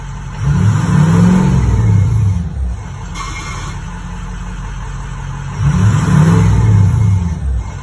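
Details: 6.0 Powerstroke diesel diagnosed with an ICP sensor fault, whose starter had been randomly engaging through faulty aftermarket wiring: even diesel clatter at idle with two short rev swells, no starter grinding or misses; normal idle.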